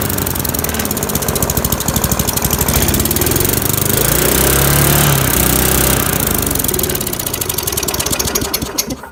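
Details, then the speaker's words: Free lawnmower, small single-cylinder engine with cleaned points and carb, primed with brake cleaner, air box off, no choke, leaking gas: uneven surging chatter that never settles, then dies. It runs briefly and stalls, the same as before; the cause is not confirmed. "that was the same issue this thing had last time it run for a little bit then stall"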